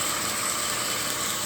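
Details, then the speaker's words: Homemade KMG-style 2x72 belt grinder clone on startup after assembly and tracking-wheel adjustment: steady even hiss and hum with a constant high tone, no knocks, slapping or grinding; running smoothly and normally. "no weird noises. Sounds good. It's ready to put back to work."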